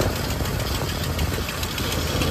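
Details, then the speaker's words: Camper "Freedom" at idle, also leaking coolant (Prestone); rapid, light, sharp puffy clacking keeping pace with idle is the leaking exhaust manifold gasket, replaced twice before, to be changed again possibly with stainless gaskets. "Le claquement que vous entendez, c'est le gasket, c'est le collecteur d'échappement."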